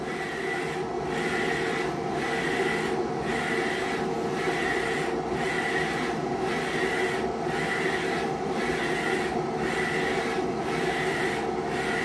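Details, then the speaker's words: Procolored P13 DTF printer running a rainbow test print during daily maintenance, laying down the secondary white overlay: even rasping carriage sweep repeating about once a second, steady and unbroken; normal printing operation. "And there comes the white. So that's the secondary white that gets laid over on the top."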